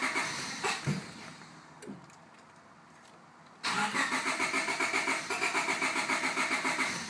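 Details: 1998 Honda Civic LX, daily commuter, new fuel filter, fuel flow and spark verified, new main relay fitted: starter churns steadily about three to four beats a second but engine never fires; crank-no-start, suspected flooded, not confirmed.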